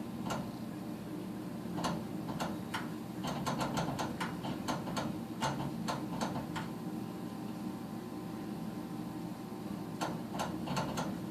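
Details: Furnace that doesn't fire every cycle, won't start: sharp dry ticks in irregular bursts over low blower hum, no burner whoosh; igniter sparks but fails to light.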